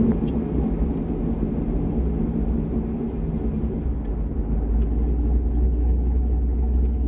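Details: C6 Corvette with aggressive camshaft and long-tube headers on a revised HP Tuners idle tune: deep V8 rumble holding steady at low speed without stumbling or hunting; idle and light running healthy, idle tuning about 80% done.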